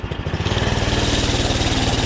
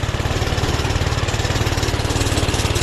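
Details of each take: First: 79 cc single-cylinder Doodle Bug minibike, started with the choke on, after work on it: a quick, even putter at idle with no spitting or sputtering; it idles normally and sounds healthy. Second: Doodle Bug minibike with a worn clutch, at full throttle climbing a hill under riding load: fast, even firing that never climbs, smothered and boggy, zero power though idle is great; owner unsure whether carb adjustment or jets; engine bogging from choke left on.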